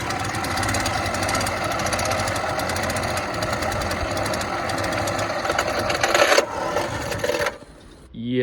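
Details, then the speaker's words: Bike Bug trike engine reinstalled after exhaust gasket and fuel primer bulb replacement, test ride; engine dies with drive wheel engaged, front tire back-drives the one-way clutch, fast even metallic ratcheting for several seconds, metal tabs freewheeling, normal. "I know that noise is hideous, but it's actually normal. Kind of. There's a one-way clutch inside, and when the engine dies when the drive wheel is engaged, the front tire turns it the opposite direction. So, it freewheels, but it's metal tabs on metal."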